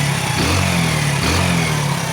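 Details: Hero Passion Pro 110cc single after head gasket failure repair with new block, light throttle blips only while running in; steady burble, the earlier popping leak on acceleration is gone. Normal revving.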